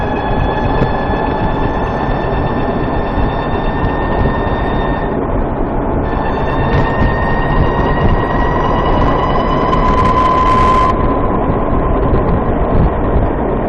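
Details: Warmed-up VX1 at lower speed under load, when the owner says the chirp is usually worst: a thin high-pitched squeal rides steadily over road and engine noise, dipping briefly midway. Transmission chirp suspected, not confirmed.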